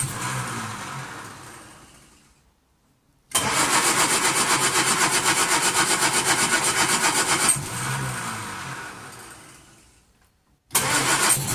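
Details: 1939 Hillman with an AC fuel pump, carburettor hand-primed, started by pulling the starter on full choke after two days of trying: rapid even firing about four beats a second, catches on second pull and runs steadily.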